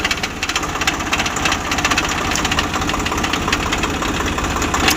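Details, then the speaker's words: Swaraj 744 FE tractor idling in gear: coarse, rapid gear rattle over the engine, present in every gear and at idle, worse under load in the field than on the road. Gearbox opened: stripped teeth on the PTO drive shaft. "ఇది gear box లో sound ఉంది అన్ని గేర్లలోనూ sound వస్తుంది"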